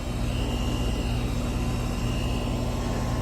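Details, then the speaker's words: Hayward HeatPro pool heat pump after replacing a failed 80/7.5 µF dual capacitor that had stopped the fan and caused an LP error: the compressor kicks on with a steady, even hum and constant fan whoosh. It is running normally. "So all we need now is the compressor to come on in about 4 minutes. All right, so the compressor just kicked on."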